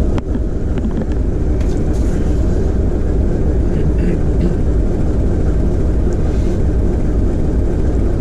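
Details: TEM2UM diesel locomotive load-tested after overhaul, load being applied to the diesel: deep steady roar pulling evenly, no knocks or misses; healthy running under load.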